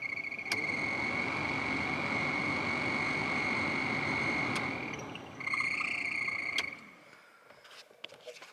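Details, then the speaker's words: BMW E30 cabin ventilation blower running: steady high squeal over the fan's rush throughout; blower motor bearing squeak. "voilà le bruit qu'on a et qui me saoule donc on va regarder comment ça marche"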